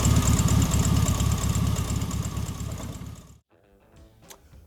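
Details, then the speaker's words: 1973 VW Thing, rebuilt (2018) dual-Solex-carbureted 1600cc flat-four with a new belt: catches quickly and settles into an even, steady chatter at idle with no misses or knocks; healthy start and idle. "Now that we've gone through the car, we'll fire it up and let you take a listen to the engine."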